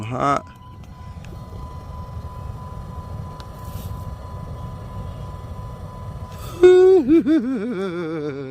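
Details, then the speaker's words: Dodge climate-control blend door actuator after recalibration using jumpers: a quiet cabin hum and a brief whirring motor sweep as the door closes, with no ticking; the fix is confirmed. "you can hear it making noises as it closes it's not ticking so I'm pretty sure that I I fixed it"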